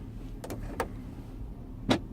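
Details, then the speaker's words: Chevrolet Tahoe with no front AC (rear AC works): quiet cabin with light plastic clicks as the mode door shifts but no fan rush; front blower motor not spinning. "you can hear click over to the next thing but the AC the AC motors just not spinning at all"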